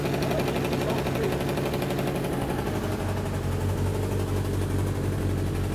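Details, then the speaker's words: Suzuki Katana barn find, running after 31 years standing: fast, ragged, slightly lumpy idle with sharp puffing tick from a small exhaust leak (fluff moving at the joint); sounds like it may be running on three cylinders. "so we've got a bit of an exhaust leak you can actually see it a little piece of fluff that's wondering around that probably just wants to nip up"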